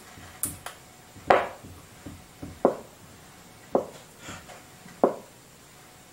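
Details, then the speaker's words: Commtron NATO FM CB radio on the bench, transmitting weakly with no modulation: on receive only sharp isolated clicks about every second with near silence, no voice or hiss; receiver producing no audio. "is just making some kind of click so we're not hearing anything we're not receiving anything"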